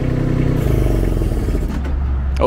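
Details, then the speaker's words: New Baumalight TRL620D mini skid steer diesel: engine note drops sharply and bogs under hydraulic load then dies; a latched auxiliary lever overloaded it into a stall. "see we just stalled the motor"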